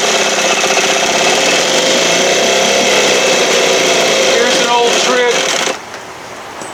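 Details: 1968 Evinrude 6 hp outboard with excessive play, running on choke tricks: buzzy, pulsing run about four beats a second that falters and drops away abruptly; rough, stumbling running.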